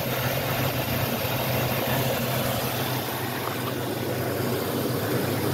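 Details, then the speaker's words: Healthy engine after start, a deep steady rumble settling down to an even idle with no knocks or misses; it shows good oil pressure. "oh yeah [Music] she's idling down now"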